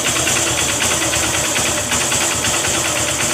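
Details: Honda CB Shine single-cylinder engine after repair of an engine noise: even, steady idle with a light, smooth patter and no bottom-end knocking; sounds healthy.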